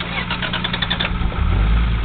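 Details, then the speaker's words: Toyota Supra 7M engine, used as the healthy comparison to a similarly modified 7M with rod knock; microphone held very close, low even idle with no knocking or ticking. Normal idle. "so I'm going going really really close so you can hear it guys can all hear mean it's curring nice idle was off real smooth real smooth too"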